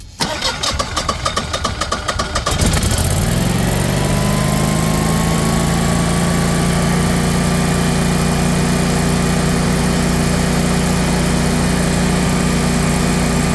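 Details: New Generac 24 kW natural-gas standby generator, first start after installation in manual mode: about two and a half seconds of cranking, then it catches and settles into a smooth, even idle; normal start and idle.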